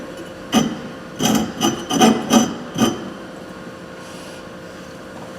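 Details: Thorvie AV-40 sharpener grinding a jointer/planer knife at about 50–52 degrees: uneven scratchy rasps, about 80 strokes a minute, catching unevenly; the wheel bites only the cutting edge, so the angle needs raising.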